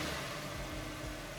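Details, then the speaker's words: Stock Ford FG/BA Falcon XR6 Turbo before turbo-side intake install: short even idle, flat thin buzzy lawnmower-like note, no knocks or misses; normal idle. "So you've just bought first FG or BA Falcon XR6 Turbo. Sounds like a bit of a lawnmower."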